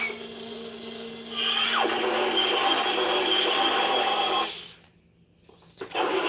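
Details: Small electric motor spins up to a loud, steady high whine, then cuts out, running faster than ever; earlier suspected bad capacitor or unglued gear, now sounds healthy.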